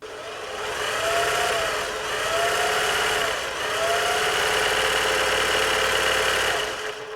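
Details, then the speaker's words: Singer 631G/611G sewing machine after a full service and foot controller repair: smooth, even motor whir with a steady mid-pitched tone and soft rhythmic swishes, running fast and quieter than before the service. "Sounding a lot better there now. It's quite a fast machine actually."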